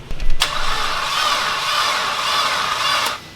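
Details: Rebuilt engine in a formerly blown Mitsubishi Evo X, cranking after the rebuild: about three seconds of laboured, even cranking that never speeds up or catches. The engine turns over slow and tight, and the builders worry the motor is ruined.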